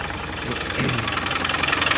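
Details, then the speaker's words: Land Rover Defender after an alternator replacement with a rewired field wire, battery only partly charged; steady idle with even firing pulses and no knocks or misses, alternator light off, slight whine noted: normal idle. "everything seems to be running pretty true."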